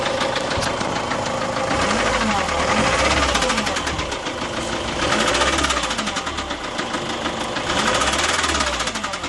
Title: Big end bearing knocking sound engine fault 2004 Ford Transit Tdci